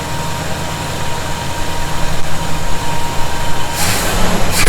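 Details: 1971 Chevy C10 V8, cold start idle after snugging up loose bolts suspected of a noise: deep steady even rumble, no whistle or hiss, handling noise at end; owner thinks tightening may have been the answer; normal idle.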